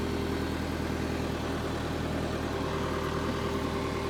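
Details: Power Trac PT 1850 diesel articulating mower/tractor, revived, hydraulic plug open: steady even diesel idle with low smooth beat, no knocks or misses; normal idle.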